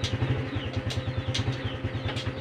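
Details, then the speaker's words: Honda Supra X 125 FI after fixing loud clunk on gear shifts: steady low even idle, shifting clean with no clunk or knock; gearbox healthy after repair. "ngobrolnya juga lebih enak dan nggak ada timbul bunyi ceklok lagi"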